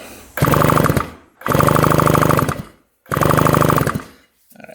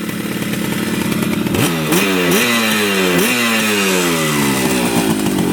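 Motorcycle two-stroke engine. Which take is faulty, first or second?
first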